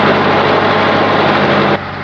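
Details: Continental F124 flathead on propane from a fire-damaged 1952 Carloader forklift, first run: loud steady running right after firing, even beat with no misses or knocks, then settles lower; little smoke; normal idle.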